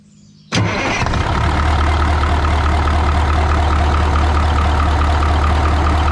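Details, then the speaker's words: 1980 Peterbilt 359, Cat 3408 diesel revived after years sitting, exhaust stack not yet fitted: catches at once into a steady even low idle, smooth beat, no misses or knocks; runs like a top. Normal idle. "Wow. It's smooth. Dude, it runs like a top."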